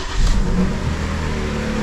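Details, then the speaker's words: Audi A6 automatic after reinstalling the injectors: as revs fall toward idle, an uneven stumbling beat creeps in. It misfires at idle but not with throttle; earlier it misfired under throttle while driving. "Бачите, коли оберти нормальні, вона не троїть. Коли оберти спускаються, вона починає трошки підпердувати, підтраювати."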